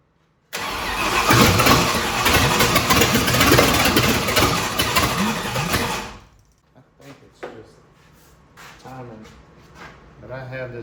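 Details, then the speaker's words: 1965 Ford Thunderbird FE 390 V8 with the distributor turned and locked the day before is cranked fast at about four beats a second for five seconds and never fires. The owner suspects the timing is off and has turned the distributor back a little. "see what happens it's backfiring all right so I I did turn that distributor yesterday and locked it down probably need to turn it back this way a little bit"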